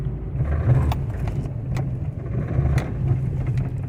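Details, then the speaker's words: 2007 Honda Civic (8th gen) in a full-lock turn, low rumble with sharp clicking under power; bad front CV axle, clunky even at slow speed and vibrating at speed. "so that's a bad CV axle and you can actually feel it even at slow speeds it's a little bit clunky and it causes a vibration at speed"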